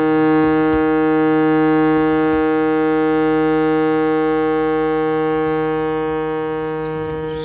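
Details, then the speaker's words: Shruti box note that was buzzing, tested after the reed was adjusted with a small screwdriver and the plate refitted: a steady, clear reed drone with no rattle or buzz. "all right it sounds like we got it sounds like there's no more buzzing"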